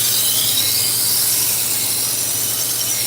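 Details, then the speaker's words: Harbor Freight 1x30 belt sander with failed speed control, sharpening a knife on a 120-grit belt; harsh steady hiss and scream as blade meets belt; running way too fast, replacement control unit awaited. "And so now the speed control doesn't work at all. Watch. So they're supposed to be sending me a new control unit. It's way too fast."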